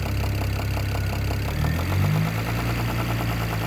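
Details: BMW E92 335i N54 engine at steady idle with a fast, even tapping under the low drone; newly developed knock, owner suspects top end, unsure.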